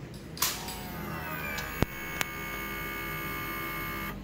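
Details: TA Racing high-pressure fuel pump on a Suzuki FU150 injection motorcycle, after electrical repair of a stuck, previously silent pump: steady electric hum with high whine at key-on, unbroken; normal priming.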